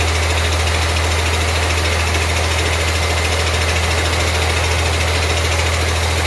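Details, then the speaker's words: 1948 Ford F6 COE rat rod, 190 HP 5.9 Cummins 6BT, P7100 pump, first start: steady low even idle under loud constant hiss and chatter from the air compressor; otherwise normal, not smoking much. "Loud noise you hear is the air compressor. Great oil filter. Not smoking much."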